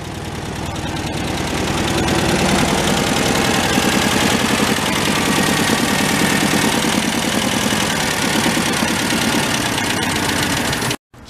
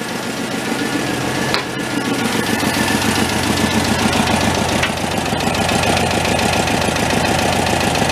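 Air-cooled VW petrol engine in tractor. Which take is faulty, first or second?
first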